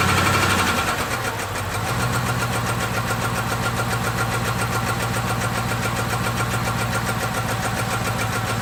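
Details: 6.1L SRT8 HEMI V8 with random cylinder misfire: after start, uneven idle and running with light rapid tick around three per second; cause not confirmed.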